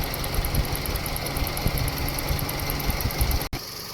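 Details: Toyota Vios at 260,206 km after AC repair with Denso parts, leaking condenser, refrigerant recharged, tested in sun: smooth idle with AC compressor and condenser fan running evenly, no knocks or squeals; cabin vent about 3.4 °C.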